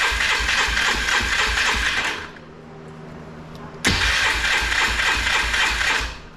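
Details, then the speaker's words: 2005 Polaris Trail Boss 330, not run in years, carburetor bowl cleaned, choke out, petcock on reserve: two bursts of fast, even cranking with no catch; cranks but won't start, with a vacuum fuel pump suspected of not priming fuel to the carburetor. "so sometimes those are vacuum operated fuel pumps on these and there's a lot of fuel Lin so sometimes on these it takes a little cranking to get fuel to the actual carburetor you have to prime it up"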